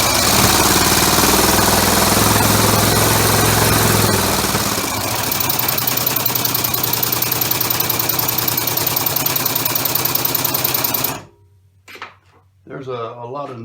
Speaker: because I've got it mounted to my workbench which is hollow so any noise that you hear is going to be multiplied just like a loud speaker